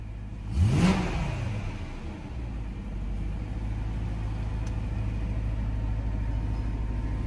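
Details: BMW M3 4.0L V8 after fixing a no-start by epoxying the loose starter trigger connector (starter about 7–8 months old): quick rev rises cleanly and drops back to a smooth, steady idle with no knocks or misses; healthy.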